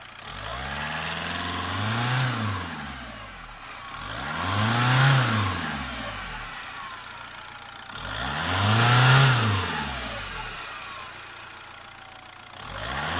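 Whistle climbs and falls with each rev, roughly every four seconds, sitting high over the engine note; turbo whistling, cause unknown.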